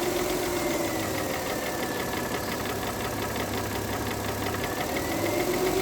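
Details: Mercedes W211 2009 3.5 engine: a light, uneven knock over the idle at roughly four a second; engine knock, source needs checking.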